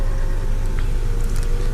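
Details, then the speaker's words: 1997 Honda Civic EX driver's power window with automatic up/down: smooth, even motor hum with a steady low drone as the glass travels, no grinding or catching; the window regulator works properly. "And you see windows. The driver's side has the automatic up and down window."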